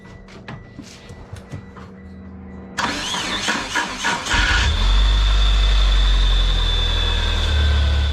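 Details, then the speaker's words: 1997 Mitsubishi Eclipse GS-T after flywheel, clutch and starter plate replacement: harsh metal-to-metal grinding rasp for a couple seconds of cranking before catching and idling; noise somewhat better but persists, faulty starter grinding. "the starters still kind of had a funny noise it sounded a little better but nevertheless it still sounds kind of funky"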